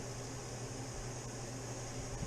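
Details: Idler pulley from a Baja engine under rebuild, spun by hand: even, smooth whirr with no crunch or rough grinding, unlike the crunchy old idlers being replaced with new ones; this bearing is good.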